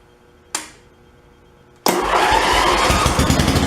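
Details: John Deere 111 lawn tractor after a carburetor rebuild and mixture screw adjustment: a single click, then the small engine fires instantly and runs smooth and steady with no surging or stumbling; normal running.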